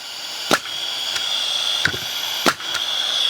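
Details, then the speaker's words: Porter Cable FR350A framing nailer at 100 psi, oiled: steady high air hiss around the head with three sharp pops on trigger pulls; sounds like it fires but misfires nails due to a defective part leaking air at the head, before repair. "it sounds like it works. It sounds like it's doing its job, but it's not. It's just leaking too much air around the head."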